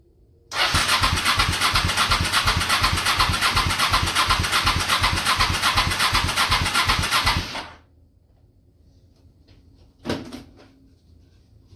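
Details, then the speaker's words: Honda Shadow motorcycle, about 20k miles on the same oil, parked 4 years after wiring harness overheating, treated with Seafoam in the oil and intake and left overnight: starter cranks steadily for seven seconds with full choke, no catch; hard start, owner suspects weak fuel pump starving it. "This thing's like starving for fuel or something. Right on. Come on, baby. Give her all the choke. Yeah, she's starving for fuel. I think that fuel pump is weak."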